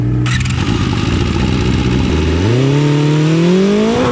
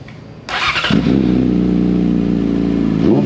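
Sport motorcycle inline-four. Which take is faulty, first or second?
first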